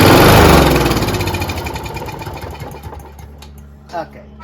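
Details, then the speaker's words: Toro GTS snowblower, 6 HP Briggs Quantum, carburetor holes sprayed without removing bowl: quick burst of pops slows and fades within three seconds, won't keep running; dirty carburetor suspected, bowl to be removed. "i didn't think it would work but it was worth uh an experiment so it looks like now we're gonna have to take the bowl off and uh check it out"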